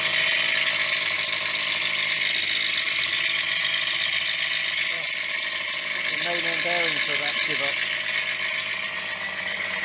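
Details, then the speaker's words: Yamaha DT50MX 50cc two-stroke, revisited after years, iridium spark plug, choke partly out; steady buzzing with a thin, tinny loose clatter on top, owner says it sounds like a bag of bearings; source not confirmed. "oh still sounds like a bag of"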